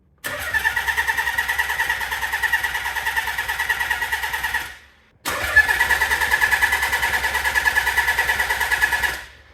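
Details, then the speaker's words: Nissan 300ZX converted to twin turbo and manual, first start attempt in neutral: two long cranking bursts with good compression but no cough or catch; test light on coil shows no spark despite plenty of fuel, suspected PTU being swapped. "no coughs or nothing all right so we got no fire so we hooked up this little thing we got coil to a light to ground trying to test out to see if we have spark seems like we got no spark"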